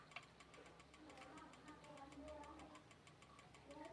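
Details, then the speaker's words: Digital rice cooker after replacing the relay and capacitor (470 µF, 50 V swapped for 35 V): quick regular light ticking about five per second while heating; normal sign it is getting hot. "itu Apa kedengaran bunyi kemertek itu menandakan sudah panas ya"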